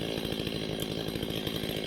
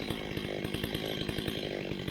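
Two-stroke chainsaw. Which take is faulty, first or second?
first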